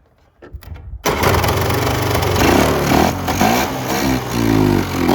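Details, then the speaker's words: Polaris Trail Boss 350 two-stroke quad abandoned 15 years, hand-fed gas poured in: catches after a few cranks, buzzes and climbs in pitch on throttle, pulling clean without misfire or rattle; sounds good. "wow wow sounds good we going to put her on the limiter for a minute straight I'm kind of impressed as crappy as it looks"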